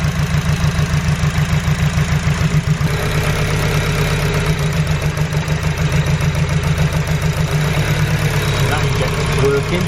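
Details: Honda EG Civic with suspected injector issue: idle stays choppy and uneven with irregular stumble in low exhaust thud while number one injector is unplugged and changes nothing; misfiring rough idle, cause not confirmed.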